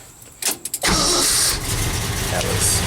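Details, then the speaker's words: 1972 Ford F250 Highboy, 390ci V8, stone-cold engine on an 85-degree day, gas pumped, out of gear with no clutch applied: a short crank, it catches almost at once and settles into a steady, even idle. A healthy cold start. "it's ice cold motor, everything's cold, so I'm just going to start it up."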